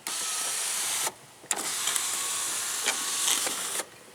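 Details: PT Cruiser sunroof motor after the loose drive rods on each side were snapped back in: smooth, high whirring runs of about one and two seconds at steady pitch, without catching or grinding. The sunroof motor is working properly.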